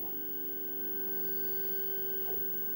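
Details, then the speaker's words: Redvision X-series PTZ CCTV camera running its datum alignment check (preset 9): quiet steady high whine from small drive motor as it moves; normal motor whir. "so when at midnight it will do this what it's doing now is it's checking its alignment to see if it's being moved"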